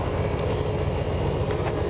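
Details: Carbureted RV with rebuilt carb, idling on tachometer and vacuum gauge after a leaking fuel line: steady low even rumble, no misses or knocks; owner hears a fuel pump sound change and suspects a leaking clamp dripping at the pump.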